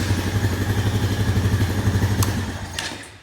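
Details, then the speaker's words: 2001 Honda Foreman ES 450 ATV, long-sitting, with barely enough fuel added: the single-cylinder thumps steadily, takes throttle poorly, then loses rhythm and dies; owner thinks it ran out of fuel. Engine sputtering and dying. "It's not taking throttle too too good, but like I said, yeah, it literally just barely had enough fuel with me adding a little bit to be up at the level. So I don't expect it's got enough fuel to do much yet. Yeah, I think it's out of fuel already."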